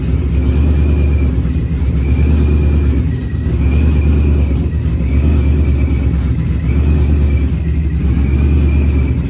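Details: Procharged Ford Coyote engine, first start-up after build, running on external fuel pump: engine runs cleanly, blipped about every second and a half, revs climbing and dropping smoothly with no misfire or stumble; normal running.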